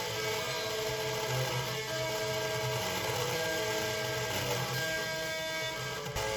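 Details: Marshall MG30CFX guitar amplifier with gain and master at full: guitar comes through thin, buzzy and very quiet; blown speaker voice coil, later replaced.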